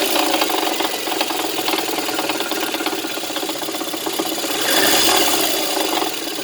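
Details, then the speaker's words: VAZ 2110 engine: sharp metallic tapping about four per second over a steady idle, source unclear. Water pump possibly suspected; engine knock. "Ну вот десятка, стучит что-то сильно."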